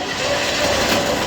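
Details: DK2 Warrior Samurai 17,500 lb winch on a MAXXD roll-off trailer, after three years of heavy daily dumpster loading: short harsh grinding roar with faint steady whine as the brake engages near the end of the pull; worn or damaged winch gear.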